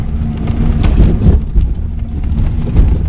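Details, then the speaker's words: Honda Accord without brakes, driven around pasture over rough ground: deep irregular thuds from the rear, sounds like something loose, not cargo in the trunk; rear clunk while driving, cause unknown. "Now, I keep hearing this clunk coming out of the back. You probably hear that. I'm not entirely sure what that clunk is,"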